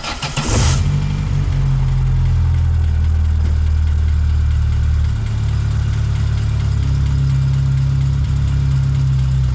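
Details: A-reg Vauxhall Nova 1.6 injection after fitting a new fuel pressure regulator (old one gave up to 5 bar, now steady 3.3 bar): engine catches and settles into a smooth, even low idle with no misses or hunting; normal idle.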